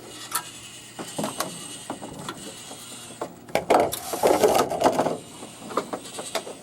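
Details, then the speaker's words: Rowe AMI CD100A jukebox after its smoked mechanism control computer, amp unplugged, error lights off: irregular light clicks, whirs and a brief motor run as the changer cycles stored selections with no CDs present; no grinding or stalling, normal. "Maybe they got it set on random play. Could be. And it's going through and none of them are in there."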